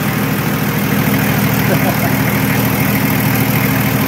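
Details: Nissan Patrol Y60, TD42 turbo diesel, idling after first start in 9 months of storage; smooth, even diesel clatter at steady idle with no knocks or misses: normal idle.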